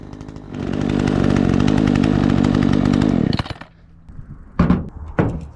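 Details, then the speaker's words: Troy-Bilt 20-inch chainsaw after carburetor adjustment: crisp steady high rev for nearly three seconds, clean drop to settled idle with quick blips; runs far better than before, possibly could gain more rpm. "Sounds good. This thing runs so much better. It's like a completely different saw."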